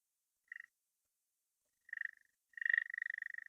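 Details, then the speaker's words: DF83 coffee grinder, new out of box, set at zero: short high chirps then rapid chattering squeak as the burrs touch; stops once moved away from zero; burrs well aligned. "Can hear the two bird touching each other. And once I move away from zero, right, the birds are no longer touching."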